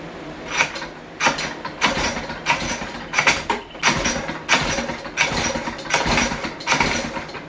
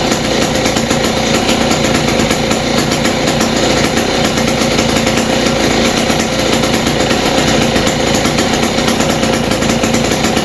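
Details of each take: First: West Bend 580 two-stroke engine, sat idle several months, new recoil parts: uneven pops about every two-thirds of a second, sagging and catching again, never settling at idle; owner suspects dirty reed valves and carburetor. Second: West Bend 580 two-stroke engine after cleaning the carb and reed valves and fitting new gaskets, no choke, mix screw 2 turns out: loud, steady buzz at an even pace with no stumbling or surging, a clean healthy idle.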